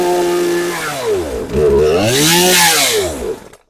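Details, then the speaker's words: Poulan Pro PR5020 chainsaw, hard starting, fresh fuel and primer filling, on choke: catches, revs unevenly, sags, surges once more, then dies within seconds; bogs and won't idle, cause not yet diagnosed. "So, it starts and does rev a little bit. Um, won't stay running."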